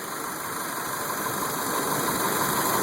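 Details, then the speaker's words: 2002 Mitsubishi Lancer petrol engine after bad idle and no-start fixed, last step a replaced fuse: cranks well and idles steadily with an even, smooth hum, no misses or knocks. Normal idle. "And that's the car. I mean, it's on. It's running."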